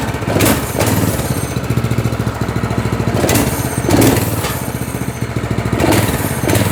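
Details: Small single-cylinder engine on a chain-drive go-kart that had sat unused about two years, idling evenly at an idle believed set fine, with a few clean throttle blips that rise and settle smoothly; runs properly.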